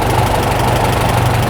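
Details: Farmall tractor (M/350/400/450 type) after an International carburetor rebuild, idle speed screw backed out from a too-high idle to a slower one: a steady, low, even idle with a smooth exhaust beat and no flutter.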